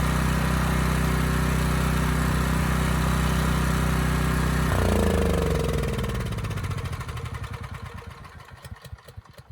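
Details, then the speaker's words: Generac WheelHouse generator with a Briggs engine revived from seizure, choke off: it runs unevenly for a few seconds, then dies with slowing, uneven firing; a shaking kill switch was intermittently grounding out and cutting spark. "I was able to turn the choke off right away, but it was sputtering, like it was losing spark or there was a valve issue, but it just turned out the switch was kind of shaking and intermittently grounding out."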